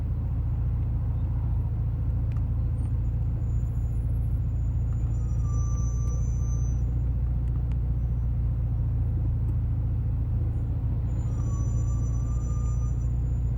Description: Very bad squeak noise from hawk Hp+ brakepad, make you feel so embarrassed and angry at the same time